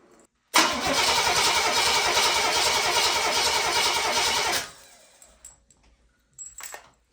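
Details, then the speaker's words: Oldsmobile 400 G big block V8 cranking with valve covers on and all 8 spark plugs in, no ignition power yet: about four seconds of even, rhythmic cranking with no skips; healthy compression on all cylinders. "Let's see how this thing cranks with 8 spark plugs in it."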